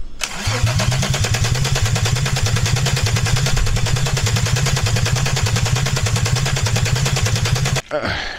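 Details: Peugeot 206 with a VR6 24-valve engine from a Sharan, first start attempt on temporary wiring with the fuel pump connected: fast, even starter cranking for about seven seconds without a single catch; the ignition and injection supply is dead.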